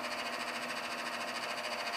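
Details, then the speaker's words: AC unit after cleanup: fast, even fluttering rattle with a hiss over the fan's steady whir; condenser fan noisy, owner suspects a failing fan motor bearing, source unconfirmed. "Making some racket right now. Probably needs a new fan motor."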